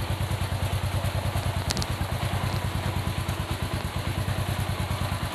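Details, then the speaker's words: Motorcycle front sprocket that had a tek-tek rattle, after lubricating the shaft and then flipping the front sprocket over: even low idle thump with no metallic clatter. The front-end noise is gone. "mantap guys sudah enggak ada bunyi-bunyi lagi di bagian depan jadi penyebabnya kalau misalnya aslinya sudah kita pelumas Shinta Pi masih bunyi coba Dibalik aja posisi gear depannya KSH sekarang bunyi udah enggak ada mantap"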